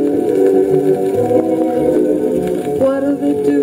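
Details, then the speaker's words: Califone 1430K school record player playing a 78 after regreasing revived a non-spinning motor. Clean steady music at even pitch, no wow, rumble or scratching; normal playback. "so as you can see on 78 it sounds fantastic that's mostly what I use this for actually is to play 78s because it's such a stellar performer in that department"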